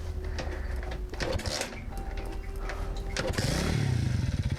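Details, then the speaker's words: Childhood Alpha moped, 8 months into restoration, first start after it stopped starting following a ride, carburetor gurgling now gone: some clatter, then it fires and idles as a quick, even, smooth putter without throttle on a rich mixture before warm-up; normal. "Ah, listen, how smoothly it runs. How smoothly it runs. Look, it doesn't need to be given gas so it doesn't stall."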